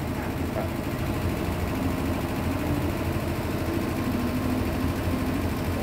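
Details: Hitachi SF-120HJ top-loader with a complaint of loud noise when spin-drying; after new 65 cm shock absorbers were fitted, the spin cycle gives a steady low hum and whir with no banging or knocking.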